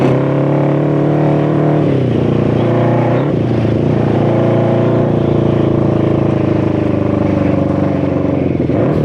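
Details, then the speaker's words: 1972 Honda CB350F bored to 400cc, two 24mm flat-slide carbs with unknown jetting on PVC intake manifolds, after 20+ years sitting: held at high revs, ragged wavering note sagging and recovering; running poorly, cause suspected, not confirmed. "So obviously it's running very poorly. It's two 24 mil flat slide carburetors with unknown jetting going through PVC intake manifolds, and that's on top of all the other problems it may have from all the years of sitting."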